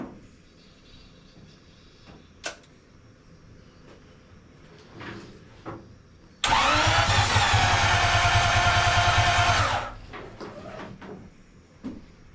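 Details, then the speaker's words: 1939 Buick coupe, 248 Buick engine, with new coil, points checked and no fuel reaching the carb, tried on starter fluid: starter spins evenly about three turns a second with a brief catch; cranks but won't start. "So, at this point, that's about as close as I can get to firing it up."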